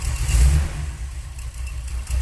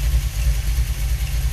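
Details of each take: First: Freshly rebuilt Holley 4150 double pumper carburetor being tuned on a car with automatic and 3500 rpm stall converter, plugs fouled from sitting, possible miss: deep, slow, lumpy rumble barely hanging on as idle is turned down below 800 rpm; idle speed too low. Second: V8 with rebuilt Holley 4150 double-pumper carburetor, idle raised from about 600 rpm to roughly 700, not in gear: deep, even burble at slightly raised idle, no misses or stumbles; idling smoothly.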